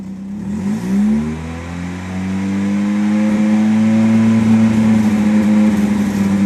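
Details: 1993 Nissan 240SX S13 SR20DET with an exhaust leak, run on jacks: revved and held, the drone wavers and stumbles, a misfire at steady rpm; the owner later blamed slight oil overfill while on jacks, helped by injector cleaner.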